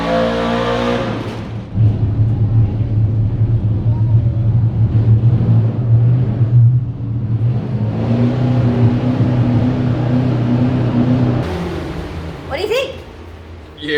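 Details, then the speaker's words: Driftcat's Holden VK NASCAR-style build with V8, after coil pack lead replaced with standard VS Commodore leads and new muffler fitted; revs up and down cleanly with deep smooth burble, quieter than old exhaust but still loud with a nice note. "It sounds much better. Cool. Yeah, it sounds loud and it's got a note to it now. I love it."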